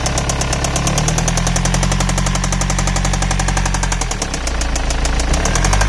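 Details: 2006 BMW E91 320d, M47TU2D20 diesel idling: fast, steady metallic knock over the low rumble; the noise began as a squeak and changed to knocking.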